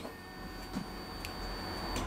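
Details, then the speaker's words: Honda CB1300 motorcycle after rebuild, not starting, kill switch on: steady high-pitched electric hum as fuel pump primes normally, coils receive power; ignition switch, kill switch and bank angle sensor ruled out, suspect pickup sensors or ignition. "you can hear the fuel pump prime, and we are getting power to the coils."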